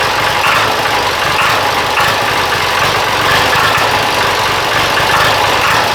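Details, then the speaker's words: Diesel engine after injection pump timing adjustment and bleeding the injectors: steady rattling knock-like sound at idle with no throttle change, plus weak throttle response and an earlier slight backfire. "uh you can kind of hear it like got it's almost like a knock almost right um it's not knock but that's the best thing I can use to describe it"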